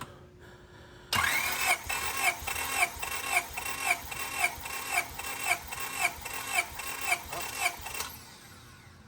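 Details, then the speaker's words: Honda Civic SiR B16A freshly rebuilt with 81.5mm ARIAS pistons, zero run time, cranking during compression test: cylinder one 225 psi, cylinder two 225; about eight seconds of even strokes, two per second, no dropouts; healthy, even compression. "okay 225 yeah okay now we go in cylinder number two all right let's go let's go all right 220. five also that's good"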